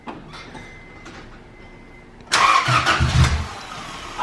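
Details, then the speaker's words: First start after fitting new valves in the cylinder head: starter cranks about three beats a second without catching; timing checked fine, cause found as valves adjusted super tight, then readjusted. "All right, after many trials and error of trying to turn it on, the timing was fine. What we did was we readjusted the valve. So we did basically a valve job to see if it works. They were all super tight."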